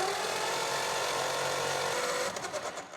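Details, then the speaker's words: 1935 Ford 5-window coupe, flathead V8 parked about 50 years, 6-volt starter on 12 volts: fast high-pitched whirr, no firing, uneven compression; valves seen stuck open on every passenger-side cylinder and 3 of 4 driver-side. "Every cylinder on this side, I can see a valve stuck. How about the driver's side? Looks like they're all sitting up right now, so they're probably all stuck. Don't you just love the sound of a 6-volt starter on 12 volts?"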